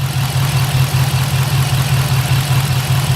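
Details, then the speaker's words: 2006 Chevrolet Impala SS, LS4 5.3L V8, 69,000 miles, codes P0118, P0300, P0307: lumpy idle with an uneven low pulse stumbling two or three beats a second, misfires across all cylinders. "vo 300 people that means we have misfires all across the board don't sound very happy though"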